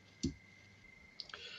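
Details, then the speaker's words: Relay switched by push button in an LED circuit: a few sharp, isolated clicks as the coil energises and releases, moving contacts between two LEDs; crisp, normal switching. "then the relay uh coil activates um it moves the contacts over uh so that current is flowing through the other contact uh and then the other LED is lit"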